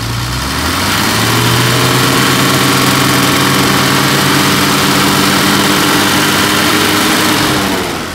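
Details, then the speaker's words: 1968 Mercedes-Benz 250SL during a pre-purchase inspection, hood open, engine revved after checking pulleys (no wobble) and older cracked but firm hoses; smooth, even rev that climbs and holds with no knocks, misses or ticks, sounding really tight; normal engine revving. "Again, that sounds really tight."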